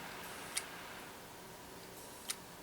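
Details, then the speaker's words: Laptop stored in hibernation about 10 years since 2015: quiet hum with sharp single clicks about two seconds apart, no spin-up; hard drive completely dead, won't boot Windows. "so yeah as you had seen the hard drive is completely dead"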